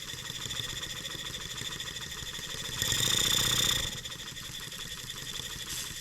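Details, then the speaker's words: German showman's steam engine on a trial run at about 2.25 bar, noisy gears removed. Quick even beat near four strokes a second with a steady light hiss, no knocks or gear chatter; runs smoothly. "shut that off we don't have to listen to that boiler taking noisy gears out of there listen to how smooth that thing runs"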